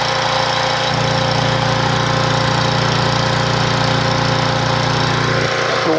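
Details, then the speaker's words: 1997 3000-watt portable generator, after carburetor replacement: steady, even drone with regular low pulse, no misses or surging, output 118-120 volts without sagging; healthy, new carburetor expected to use less gas. "we can hear the sound for the new carburetor she's definitely going to use less gas"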